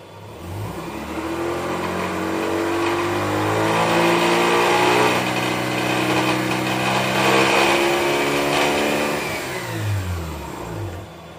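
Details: 2005 Mazda RX-8 rotary, rebuilt under 5000 km ago with the lower intake manifold: a coarse grinding rattle from about 2500 to 5000 rpm, in any gear or neutral, clutch in or out; compression and ignition are in spec, one trailing plug was wet.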